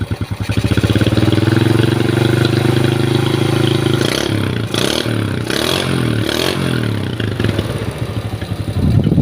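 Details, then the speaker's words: Honda Grand single-cylinder engine after teardown and replacing parts that caused rough running: even beat climbing cleanly with throttle blips and settling back, no knock or rattle; normal idle after repair. "setelah kita lakukan pembongkaran setelah kita lakukan perbaikan dan [Tepuk tangan] hasilnya ini sesuai dengan yang diharapkan ya teman-teman ya jadi bersih suaranya"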